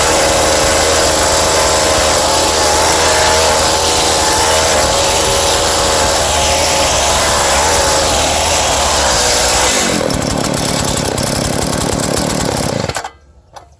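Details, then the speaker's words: Scrapped Craftsman cultivator, small two-stroke with good compression, no air filter, started with choke and starting fluid, throttle held down: runs loud and steady at high revs with a buzzy exhaust note, then cuts off cleanly; engine healthy. "There she goes. Probably a little more choke. Let's hold the throttle down. This helps. She's got gas."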